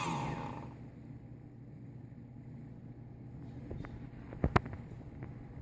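Low steady motor hum with a few sharp, irregular clicks breaking through, a sign of worn bearings.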